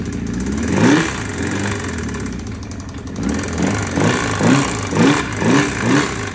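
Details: 1984 Honda CB750SC, spun bearing on cylinder 2, confirmed on crankshaft: uneven revving with dull rap growing with each throttle blip, spun rod bearing knocking.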